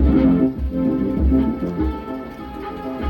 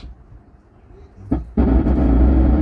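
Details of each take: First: 4440 dual-IC 100 W amplifier board, after repair (a resistor removed/opened, so that point now reads no voltage): music plays full and clean with no crackle or break-up, where it earlier sounded distorted; normal amplifier output. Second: 4440-IC double-chip 100 W amplifier board: at power-on, before playing, a loud harsh rough buzz with heavy low rumble that stays even with volume turned down; audio overdriven and distorting.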